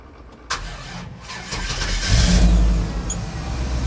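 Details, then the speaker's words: OBS Chevrolet Cheyenne truck with LS 6.0 swap and 80E transmission, first start of the day, cold: short crank, catches straight away and settles into a steady, deep, even idle with no misses; healthy cold start. "right on the money this is the first start of the day actually give you a cold start"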